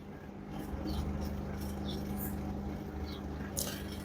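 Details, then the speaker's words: Super General 20 kg top-loader washer on spin cycle: low steady motor hum with no drum rotation, drain pump working; stalled motor caused by defective motor triac on main PCB, fixed by replacing it. "It's humming noise coming motor, but motor not rotating."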